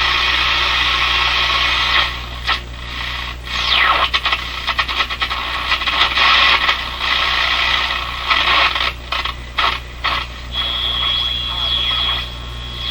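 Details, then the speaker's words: CBS Columbia Model 5330 vacuum tube clock radio after repair; static sweeps, whistles and stations come and go as the dial turns, with reception varying near the antenna. The set receives properly. "reception's going up and down because I'm getting close to the antenna let's check it out it's working pretty good already"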